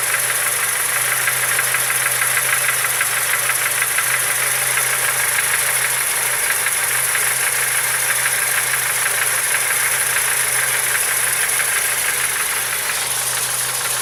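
A steady rhythmic knocking, roughly three per second, sits on top of the idle without letting up; the cause is unknown.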